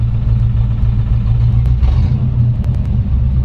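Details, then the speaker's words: 1940 Ford pickup, flathead V8, single muffler, idling: steady deep rumble and loud low drone, a little noisy; muffler rotted through its bottom from condensation, letting the exhaust blow. "you go it's got one muffler it's a little bit noisy we covered on the undercarriage video it's one of those mufflers where condensation are kind of rotted through the bottom of it"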